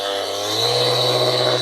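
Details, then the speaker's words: Ryobi cordless polisher after grease replacement, running up through speed settings: steady high-pitched motor whine with harsh buzzy rattle on top from the loose battery pack chattering in its mount when not held. "battery so annoying in fact when I'm polishing on a car with it I'm always holding the battery I'm holding it tight because it it makes so much noise when you're using it"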